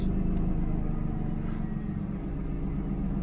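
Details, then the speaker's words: 1992 Mercedes 600SEL V12 at idle after the exhaust repair, far quieter than the hideously loud exhaust before. Smooth, even low rumble with no puffing. Exhaust seals are still missing, and the rear heater control valve has a separate clicking fault. "yep much nicer oh my God day and night if you remember before it was so loud it was hideous"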